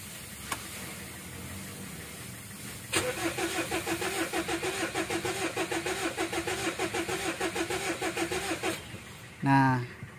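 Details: 2014 Mitsubishi Strada Triton GLS common-rail diesel at 176,000 km that won't start unless primed with petrol: it cranks steadily for about six seconds without firing. The check engine light is normal.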